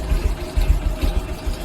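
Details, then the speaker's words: Honda Wave 125 LED, customer complains it stalls at idle and when throttle is opened: slow, uneven, loping low thump as if about to stall; idle speed set too low. "นี่ครับลักษณะนี้เครื่องมันเดินเบามาก"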